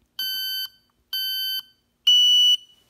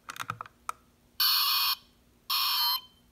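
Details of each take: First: Smoke detector pushed to test after cleaning and fitting a fresh battery: three loud, shrill alarm beeps in an even pattern, working normally. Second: Smoke detector with its battery removed and the test button held about 15 seconds: button clicks, then two loud, shrill half-second alarm blasts powered by leftover stored charge.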